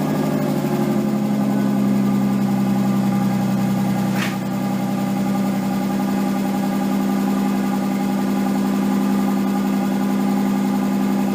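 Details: Nissan 240SX S13 with swapped RB20DET, first start after a crank angle sensor repair: smooth even hum at a fast steady idle with a quick blip; idle way too high, owner suspects slight oil burning, idle and AFR still to be set.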